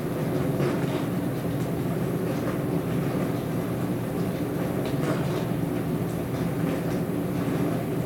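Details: Dishwasher with a loud continuous low rumble and irregular clattering, steady throughout; abnormal rumbling noise, cause not yet known.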